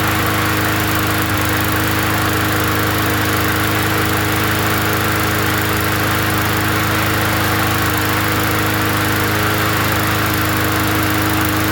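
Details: Free 20-inch Bolens gasoline push mower from the dump, first run after adding gas: a steady, even drone with no misses, surging or knocks; running smoothly and healthy.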